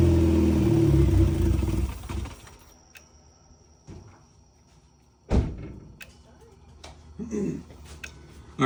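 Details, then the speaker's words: Turbo Corolla with a dead battery, started on starter fluid: it runs a couple of seconds, stalls within about five seconds, then falls silent with a few clunks. Stall most likely fuel-related. "so it did start, but then it stalled out literally within like 5 seconds. So I'm most likely pretty sure that it's going to be fuel related."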